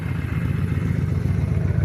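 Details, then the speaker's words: 2000 Honda Shadow 600 V-twin with about 43,000 miles, well kept, idling in neutral: deep, steady, lumpy burble with an even beat; runs pretty good, though the carburetor may need cleaning. Normal idle. "but uh yeah she runs pretty good here let me start it up for you so you can hear it"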